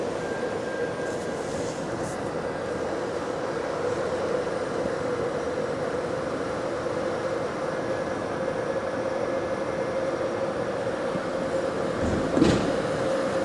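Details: GAL bus EBD67 on route SL4, after its creaking suspension noise was fixed: steady road and engine rumble, a constant mid-pitch drone and one brief thump, with no creaking from the suspension. Normal ride.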